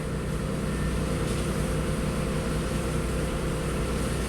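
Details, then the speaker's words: 2004 Audi A6 wagon with a 3.0 L V6 and about 110,000 miles, check-engine light with MAF, fuel-trim and misfire codes: smooth, even idle with a steady low hum and no misfires at startup. "let's start it up smooth no misfires awesome I like it"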